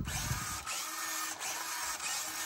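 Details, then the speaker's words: Hobbyplus CR18P Evo Harvest RTR crawler, new 2-speed all-metal-gear transmission, stock, on the bench in low gear; smooth and quiet, steady electric whine with slight ESC whine/hiss, no clicks or grinding; normal bench run. "that's pretty smooth nice and quiet I mean there's a little bit of a ESC wire in there you can hear it but not like a lot of rtrs"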